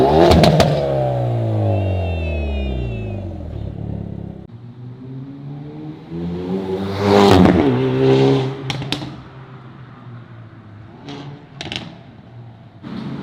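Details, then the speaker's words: Hyundai Veloster N turbo four with Depo Racing catless downpipe and flex pipe, JB4 tune, N mode, recorded in cabin; loud raspy note climbing through revs and shifts, no hiss or puffing at downpipe: healthy exhaust. "Alright boys, so this is what it sounds like in N mode. Loud in the cabin. And with the JB4 tune, it's like, gives it just a little bit more boost."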